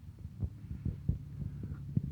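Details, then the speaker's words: Massey Ferguson 35 tractor diesel under load, heavy deep knocks about three to four per second through a low drone; on teardown a cylinder sleeve was found broken, suspected cause of the severe engine knock. "welcome back to the channel here is a master Ferguson 35 with a bad engine knock"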